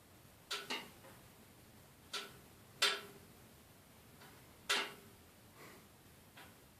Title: Termatech TT20 RS making noise